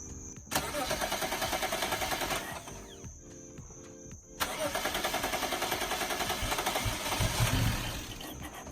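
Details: BMW E92 with N54 engine, first start after valve cover gasket replacement and oil change: brief crank, engine catches cleanly and settles into a steady, even idle with a quick restart; runs great, healthy.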